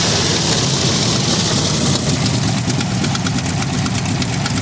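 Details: 1964 Ford F100 V8, tired, with old oil: sharp rapid ticking and puffing rides on top of the engine as it's blipped, sharpening with revs; a leaking exhaust manifold.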